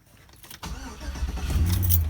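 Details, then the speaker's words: 2005 Chevy Avalanche 5.3L V8, 280,000 miles, restarts after blown 20A PCM B fuse replaced (earlier shut off while driving, no-crank); catches at once into steady rising idle, no misfire; dash shows reduced engine power, PCM communication codes. "Oh, dang! Truck runs. It does say reduced engine power."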